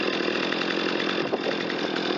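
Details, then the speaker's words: Stihl MS250 chainsaw that had sat unused and would not start, on 40:1 non-ethanol premix, after a carburetor clean, new spark plug and carb tune: a high, steady buzz holding speed through wood with no bogging or sputter; runs strong. "I did a quick carburetor clean, reassembled the saw, replaced the spark plug, and it runs just fine with a little bit of a tune on the carb."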